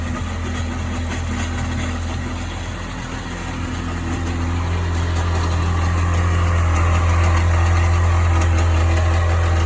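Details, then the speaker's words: 1998 Sea-Doo GS 720 two-stroke engine idling with a deep droning hum and a steady beat about four a second; owner cannot identify the strange noise. "So what the hell is that noise? Any help's appreciated."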